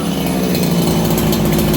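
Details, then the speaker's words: Farmertec 288XP kit chainsaw after ignition repair, running in about 5°C cold, low jet richened slightly from lean: crisp, steady buzz with even firing, no bogging or sputter; crisper on throttle, idle settles faster; normal idle. "You guys hear that? It's crisper on the throttle and it settles down the idle faster."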